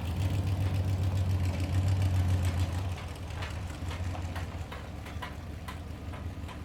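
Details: 1989 Dodge D200 V8 on a road test after new camshaft bearings, an oil pressure fix and timing set to 35° total advance at about 2800 rpm. Deep, smooth rumble pulling steadily and easing off evenly, with no misses, knocks or rattles: normal running.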